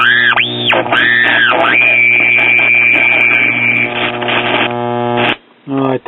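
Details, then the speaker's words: 1937 Philco 37-93 cathedral tube radio, first power-up at about half voltage: steady mains hum under sweeping tuning whistles and a squeal; hum from bad filter capacitors, bypass capacitors likely also bad, squeal unconfirmed. "we can pretty much be assured right off the bat that the power supply filters are bad that's the reason for the hum and most likely some bypass capacitors are als"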